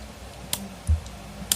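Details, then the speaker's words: Polytron active speaker at switch-on: soft low thump from the speaker with a light click from the SMPS transformer, then quiet hum; normal power-up. "Oke, ada suara jeduk. Suara jeduk di speaker di sebelahku, dan terdengar suara cetik di bagian trafo SMP-S nya teman-teman. Nah ini berarti pertanda normal ya."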